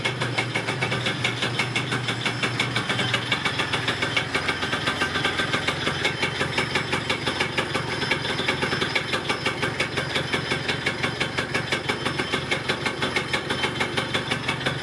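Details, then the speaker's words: Yamaha Neo's 50 two-stroke 50cc scooter, first start in years after new two-stroke oil, spark plug, air filter, fuel and vacuum hoses and fuel filter check; quick, regular putter at steady idle with even beats, running fine. "all right anyway i'm gonna turn this off before i gas myself great news it starts it runs it sounds pretty good"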